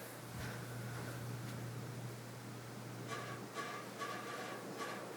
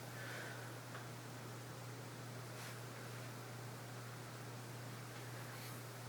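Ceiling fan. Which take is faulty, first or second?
first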